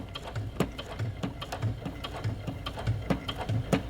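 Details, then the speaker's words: Sewing machine with a denim needle, longer and thicker, stitching Kraft-Tex tote bag handles about 1/4 inch inside the raw edge: regular soft clunks about one and a half per second as the needle pierces heavy material; normal, not a fault. "I just want to point something out, that if this is your first time hearing and or sewing with a denim needle, because denim needles are a little bit longer and thicker, it's going to sound like your machine is clunky. So don't be scared, that's what it sounds like."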